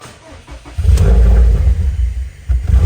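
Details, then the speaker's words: Subaru WRX STI right after first Cobb Accessport stage 2 off-the-shelf tune, downpipe and exhaust replaced: catches after cranking, then idle surges and sags unevenly, nearly dies, picks up again; rough start and stumble. "yeah it doesn't sound good I'm gonna have to call a cab tomorrow and see what they tell me because she doesn't sound very good"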